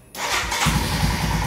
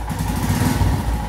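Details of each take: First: Royal Enfield Himalayan with throttle position sensor deliberately unplugged, lighting fuse removed: starts but idles with an uneven, wavering beat and dips; hiccups and sometimes dies when accelerating. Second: Royal Enfield Himalayan with the throttle position sensor properly reconnected: single-cylinder thump picks up smoothly and evenly under throttle, revving all the way up with no hiccups or misses.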